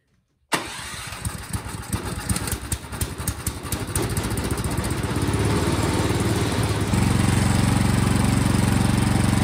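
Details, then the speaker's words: Toro Powermax snowblower after the carburetor was tightened on, so fuel now comes from the carburetor and not the seal: a few pulls of cranking, then it catches and settles into a steady, even putter and starts normally. "all right so now the gas is coming out of the carburetor not from that seal now let's try to start it"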